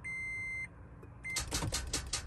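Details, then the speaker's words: Car parked long time: dashboard chime, then rapid chattering clicks about six a second instead of cranking, no start; battery too weak to power starter. "thể tiếng kêu đó có nghĩa là chứng tỏ ra các bệnh viện nó đã yếu thì nó không có đủ cái điện"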